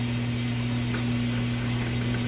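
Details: Craftsman Atlas 6x18 lathe (1950s–60s), tapered roller bearing headstock, back gear chewed and needing replacement: steady low hum, constant pitch, faint mechanical whir, no knocks or grinding; normal running.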